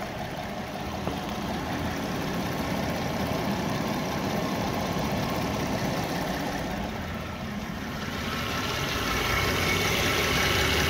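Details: 2014 Hyundai Santa Fe after engine repair with new water pump, parked a few months: steady even idle with smooth low hum, no knocking or ticking; engine sounds healthy.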